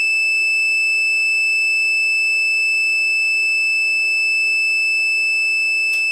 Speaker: Is that whistling? But it ain't whistling Dixie.